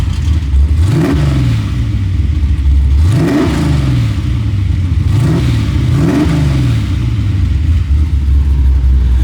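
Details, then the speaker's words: 3rd gen Camaro with a freshly welded exhaust built from parts store parts for under $100: three throttle blips rising and falling smoothly with a deep even note, quieter than expected, healthy. "It sounds good. I genuinely thought it would be louder. So did I."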